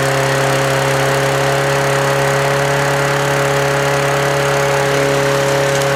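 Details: Toro Recycler mower with very black old oil, after PB Blaster was sprayed into the carburettor as cleaner. The small single runs at a steady, even speed with a constant hum while smoking.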